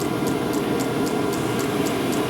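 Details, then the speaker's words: 12V diesel heater with bodged 24V fuel pump, warming up toward 110 outlet temperature before running even faster: steady fan rush, crisp pump tick almost 4/s; normal running at high fan speed. "so it'll run like that until the output temperature gets to 110 and then it goes even faster again it's a strange setup but i mean it works it does the thing"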